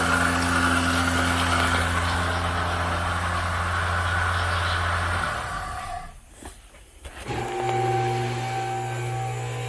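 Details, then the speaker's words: 2000 Lexus ES300 3.0 V6 interference engine, first start: steady, even running and restart with no knock; the water pump is noisy but the engine sounds good. "Water pump making noise, but that motor sounds good. I think we lucked out."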